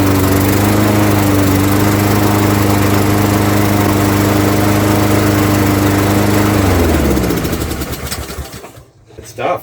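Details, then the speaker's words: Craftsman 21-inch mower, 5.5 hp Honda GCV160, restarted on choke to confirm all still good: steady, even drone holding speed without hunting or misses, then winds down cleanly at shutoff; everything working as it should. "Good stuff. Everything's still working as it should."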